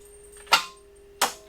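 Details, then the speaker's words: Jeep TJ Wrangler with BEW TDI diesel swap: two sharp solenoid clicks about 0.7 s apart, no cranking; failed crimp on the starter power wire means the solenoid engages but the starter motor gets no power, mimicking a locked-up engine. "I heard that noise and that's just the solenoid engaging but there's no power to the main electrical motor to spin the TDI engine because of that I thought the motor was locked up"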